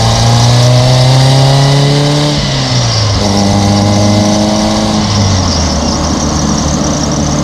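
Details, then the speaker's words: 1995 Toyota Corolla wagon, 1.8L 4-cylinder, daily driven: rough gravelly whine over the engine rising and falling with revs; alternator bearings going bad, alternator to be replaced. "As you heard, it didn't sound that great. The bearings in it are going bad."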